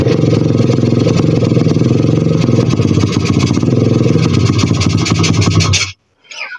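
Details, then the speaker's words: 125 cc pit bike single runs slightly uneven then cuts out once throttle closes; won't hold idle, owner suspects carburettor. "To prostě nejde, vole. Já vypnu prostě plyn, dám jakoby od plynu ruku pryč a on to chcípne."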